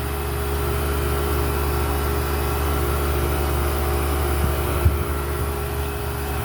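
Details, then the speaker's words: Home AC condenser fan motor, previously seized, now repaired: smooth, constant low hum with a light steady whir throughout, no knocks or grinding, spinning freely 48 hours later in 105° heat. "but 48 hours later 105° temperatures no problems with it"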